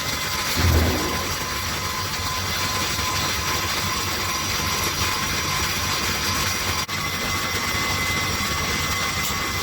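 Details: Refrigeration condensing unit just restarted after its dirty condenser was cleaned, condenser fans on, compressor running, about 40 degrees: steady even compressor hum with constant fan rush, no knocks or rattles; running smoothly and cycling normally.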